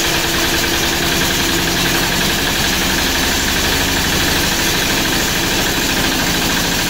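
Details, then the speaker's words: MEP-802A diesel generator after piston ring and gasket/seal replacement (previously one cylinder firing, blue smoke, intake blowby): loud, even running with steady firing, no misses or blowby chuff, all cylinders pulling cleanly. "There you go. That's the sound I was looking for."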